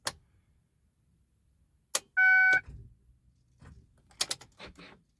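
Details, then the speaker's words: 2006 Chevrolet Impala SS, key turned to start: brief chime then a few sharp isolated clicks, no cranking, starter not turning; no-crank clicking, cause undetermined. "it's not even like doing nothing. It just clicking."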